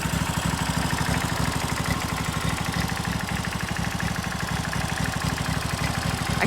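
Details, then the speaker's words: Briggs & Stratton 16 hp V-twin on a John Deere mower, shroud off: even, low throbbing pulses at a steady rate with no misses or knocks, very little smoke; a healthy, smooth V-twin idle. "And I want you guys to listen to this. It sounds so beautiful and smooth. [Music] [Applause] Like what is that? That doesn't sound like a mower. It's like so smooth."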